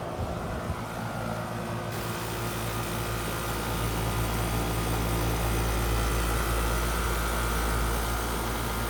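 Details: No-cooling call, top floor not cooling: outdoor AC condenser restarted after replacing the bad, bulged original capacitor; steady low hum with even fan whoosh, no buzzing or clicking, running normally.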